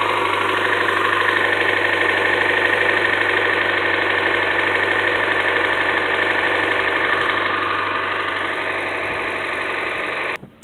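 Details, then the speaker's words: 2013 Hyundai Elantra 1.8 L idling: a light, quick top-end tick of about three per second over the engine. It has ticked slightly since new, mostly when cold, also under acceleration, and is now getting much worse. Cause unknown. "since day one I've owned this car it's made a slight tick normally only when it's cold when it warms up it pretty much all goes well you can hear a partial tick when it's idling or under acceleration and now it's getting a lot worse right now"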